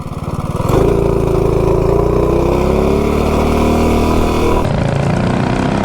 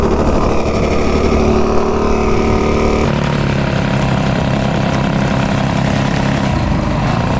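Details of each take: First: B200 minibike with a modified 196 engine, 40 sprocket and Juggernaut torque converter driver on a full-throttle top-speed run: the engine note climbs cleanly through the revs with no slip or chatter, then shuts off at about 54.5. It engages smoothly through the RPM band. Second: Stage 2 196 B200 minibike with a budget Amazon torque converter driver, cruising during break-in; a rough, uneven buzz with a choppy chatter underneath, where the Juggernaut driver felt smoother: drive chatter.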